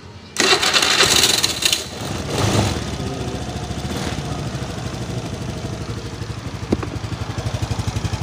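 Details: NEX F1 fuel-injected motorcycle with hard starting from weak ignition, after fitting a new battery: starter whirs, engine catches within a second and settles into an even, quick putter at idle.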